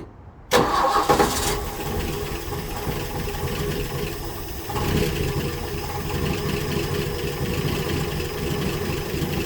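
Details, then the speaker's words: 1966 Ford F100 parked since 1989, first start after 32 years, fed from a can bypassing the old tank through the fuel pump: cranks, catches, then settles into a loud, clattery, uneven, almost diesel-like idle; rough running, cause not yet clear. "on today's episode of left to rock we just got this trucker up and i don't know it sounds like a diesel"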